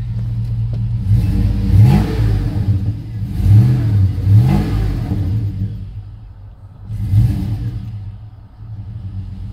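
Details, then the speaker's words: GMC Yukon at salvage auction, revved: deep even exhaust note swelling cleanly through three blips, no knocks or misses; runs smooth with good oil pressure. "It runs smooth. Lots of gas, good oil pressure."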